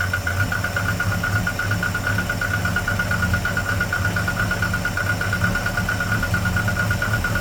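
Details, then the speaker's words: 1988 Volvo 240 barn find during restoration: low uneven lumpy idle with faint steady whistle, engine hunting slightly; rough idle, cause unconfirmed; owner may open an adjustment a bit more and suspects it needs choke. "Um, I might adjust this so it's open a little bit more. We'll see. It may also just need choke, which is what's going to help"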